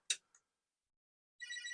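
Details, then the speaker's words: Commodore SuperPET (8032) switched on with a suspect ROM installed after socket cleaning: a switch click, a brief pause, then the bright, buzzy high chirp of a normal power-up. "the chirp of the 8032. Yes. Isn't that beautiful? It's a beautiful sound."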